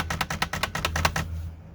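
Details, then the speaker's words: Hermes Rocket typewriter after repair with red oil: about ten crisp, evenly spaced keystrokes in just over a second, no squeak from the space bar; the typewriter sounds healthy. "so now she's up and running again and not squeaking"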